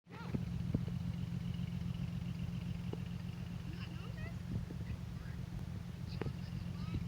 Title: 4.3 v6 misfire